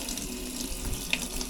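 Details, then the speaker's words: Cold water tap on a refitted, previously sunken 2021 Leopard 50 catamaran, fresh water pump running: steady, even rush of water with no sputter or surging; good, smooth cold water flow. "See if we can get a bunch of hot water running through. Alright, we got good cold water flow"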